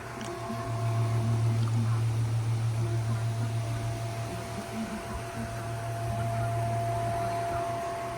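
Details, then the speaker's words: Fan running at full power in oscillation mode with a dirty blade, camera kept out of the airflow: steady low hum with a loud, pronounced thin whine above it; fan motor whine. "It has a loud wine to it. Check out the wine or the humming sound. It's running at full power, but you can hear that hum."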